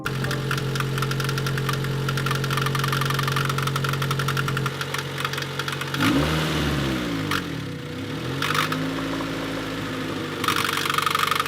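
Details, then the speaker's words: 1996 Honda Civic EK EX, about 190,000 on the clock: heavy intermittent knocking at idle that fades as rpm rises; persists with accessory belts off, water pump fine, cause unknown, valve lash suggested; head being pulled. "so as you can hear it's very intermittent very loud it goes away with engine RPM increasing so we're not quite sure what this could be"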